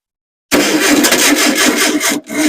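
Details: Engine's first start after a months-long rebuild, hot-wired with a new battery and the reused fuel pump on a gravity-fed tank: loud cranking with scattered firing bursts that die away; a fuel issue is suspected.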